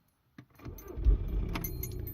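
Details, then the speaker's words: Audi A3 2.0 diesel BKD, cold start; click then brisk even cranking at about 427 rpm, healthy, whereas hot it cranks only 187 rpm (needs about 280 for injectors); owner suspects weak battery or starter. "see you can see straight away like 427 rpm when he's cranking okay when is cold"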